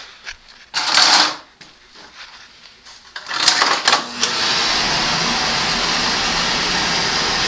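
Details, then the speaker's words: Oil-fired boiler test-started after changing the inline oil filter and screens and cleaning the nozzle: after a few handling clanks the burner lights and settles into a steady, even roar with no pulsing or sputter; normal firing. "you can hear she's working the fires very good"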